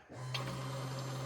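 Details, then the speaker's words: 2008 Prius with a 5.3L LS swap, key-on before first start: the electric fuel pump kicks on and holds a steady, even low hum while fuel splashes audibly. Normal fuel pump operation. "go up there and tell me when you can hear fuel running is it like going to be little splashes yeah you'll hear it splashes"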